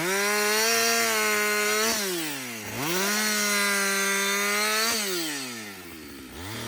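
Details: Husqvarna 562XP chainsaw after a Husqvarna-advised software reflash for dying when hot and stumbling. Hot after extended cutting; the owner says it has never run better. High clean note sags smoothly as each cut loads it and recovers crisply between cuts. Normal running under load.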